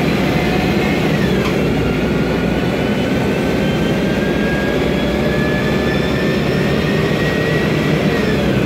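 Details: 2007 MAN Lion's Classic CNG city bus, MAN E2876 LUH03 EEV turbo engine, Voith DIWA 864.3 4-speed automatic, noisy Voith gearbox: steady drive roar with faint tones rising as speed builds; light transmission whine.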